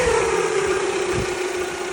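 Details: Toyota Camry 2.2L at idle: steady mid-pitched whine evenly over a smooth idle, unchanged through the clip; owner unsure whether alternator or water pump, mechanics called it normal or couldn't hear it.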